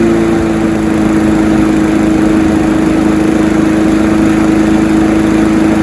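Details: Honda HR173 push rear-roller rotary lawnmower after a detailed carb clean and service, started on choke: steady even firing drone at constant pitch, no misses or surging; it revved high on start, which these mowers all do; runs normally.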